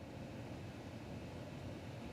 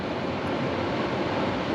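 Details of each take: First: Home AC unit not cooling, with the thermostat calling for cool: steady blower airflow hiss with no compressor hum ever kicking in. The compressor won't start; the cause is suspected, not confirmed. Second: Indoor AC blower motor switched on during cooling troubleshooting: smooth steady rush of air with no knocking, rubbing or squeal; blower running normally, small line felt cool, no refrigerant flow felt, electrical fault hoped.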